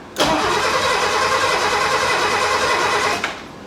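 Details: 1969 Mercedes donor car, old coil, spark plug wires just attached, no spark shown: starter spins engine evenly for about three seconds but it never fires; cranks but no start.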